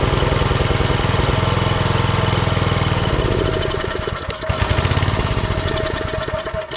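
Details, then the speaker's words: Troybilt Pony tiller, 5 hp Briggs & Stratton, unused for years, after first carburetor clean: uneven surging single-cylinder thumping about three per second; main jet still clogged, later cleared mechanically. "I had to disassemble the carburetor again because it still wasn't working properly and I soaked it in submerged the whole carburetor and brake cleaner and blew it back off with air but when I would apply air pressure to this main nozzle I didn't hear any air flowing to the inside so I had to mechanically clean the tip"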